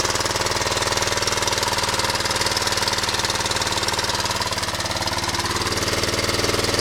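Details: 1998 Suzuki Savage 650 single idling, 10,000 miles: a light metallic rattle on every beat. The cam chain is loose because the tensioner had come completely out of its body, found with the cover off and caught in time.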